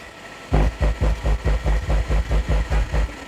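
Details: Deep low hum pulsing about twice a second as the input is touched on a Wisdom 12-inch active subwoofer with a 5A 45CT transformer, after replacing the 50k volume potentiometer to fix a no-sound fault; amplifier now passes signal normally.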